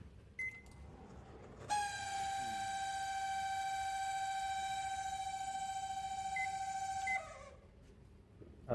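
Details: Samsung microwave running with a loud, steady buzzing hum that stops abruptly; noise from the cooling fan motor with a dry bearing.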